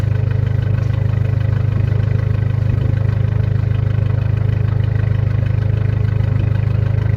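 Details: Freshly reassembled car idling: steady idle with loud, even low puffing about 2.5 beats a second; owner suspects a bad exhaust leak, probably downpipe missing its gasket plus other bad gaskets, not confirmed.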